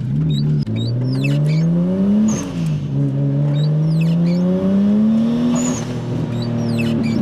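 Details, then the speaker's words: Nissan R34 Skyline RB25 (NEO) after fitting Audi R8 coil packs for a misfire under full boost: quick rain road-test pull in second gear, engine climbs smoothly without stumble or popping, squeaky wipers audible; runs cleanly so far. "Just a quick little pull in second, just to see how she behaves. Seems all right so far."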